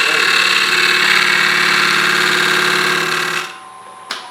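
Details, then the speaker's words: Spalted birch log being turned into a rough bowl blank on a lathe with a scraping cut: a loud, harsh rattling chatter at about three bounces a second. The tool is bouncing on hard grain and not cutting. "can just hear that that's just bouncing it hard drain the soft grain too hard bring this up green and it's it's not cutting at all"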